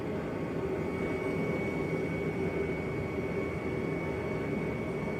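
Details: Bauer forced-air portable propane heater, first burn just after lighting with the igniter button: steady blower roar with faint constant high whistle, no surging or popping. Normal running.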